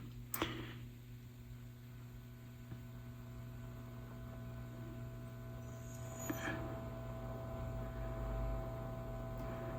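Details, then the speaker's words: Early tube radio during power supply troubleshooting, voltage being raised from about 80 volts: steady low mains hum from the speaker with no crackle, so the amplifier section works. "So I'm going to try to go on up, and you'll hear the speaker. That means our amplifier section's working good,"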